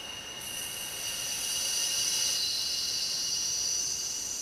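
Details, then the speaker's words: Water regulator fill valve, rust cleaned off and diaphragm found good: steady high hiss of water flow tapering off as the valve is shut; working normally after repair. "turn the valve off here you'll hear it taper off the flow of water"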